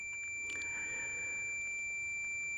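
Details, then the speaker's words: Continuity beep test on a multimeter checked against a cheap decade box at 40 ohms: a steady high-pitched beep holds unbroken, still signalling continuity. "And the tolerance of this cheap decade box. 40 ohms, still beeping."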